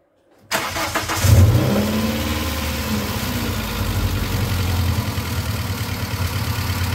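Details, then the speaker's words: 1995 Plymouth Neon engine before a motor-flush treatment: cranks and catches, then a busy idle with a loose, uneven metallic top-end clatter; owner suspects rockers not pumping up, oil pressure about 40 psi cold at idle. "i'm going to go ahead and start this thing up so that way you can hear the amount of noise that's coming out of this thing it's clattering quite a bit"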